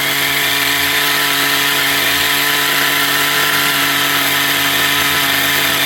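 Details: XTM Baja Outlaw RC truck small engine, restarted, screaming at a steady high pitch with no load; the idle gap was set too open. High idle.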